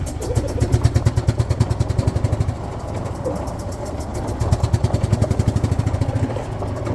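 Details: 2008 Yamaha Drive G29 gas golf cart, newly bought: choppy, lumpy running with surging and sagging loudness, only keeps running on choke, struggles to climb ramp; points to a plugged carburetor jet.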